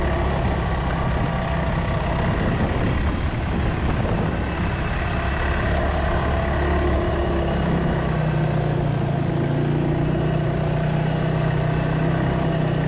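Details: Polaris 300 Sportsman quad after new drive belt, rear bushing and coil, warming up: idles low and even under steady rain, then settles to a smooth, slightly higher hum; sounds healthy and runs normally.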